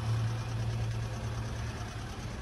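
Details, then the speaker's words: 2020 Hyundai Elantra 2.0 Nu engine with code P0017 cam/crank correlation, exhaust cam phaser failing to turn during cranking, running after reassembly: slightly uneven idle, steady low drone, faint light tapping; check engine light on, failing cam phaser. "I mean, it's not perfectly smooth. You can still hear a little bit of tapping noise. But this thing's running."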